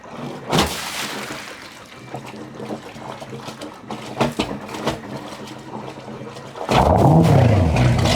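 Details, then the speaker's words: 1989 Sea Ray 340 express cruiser, twin engines started at the dock before a lake shakedown: water lapping and knocks, engine catches with rising note and settles to a steady rumble; both engines running good. "all right we got both engines running running good about to untie and get off the dock"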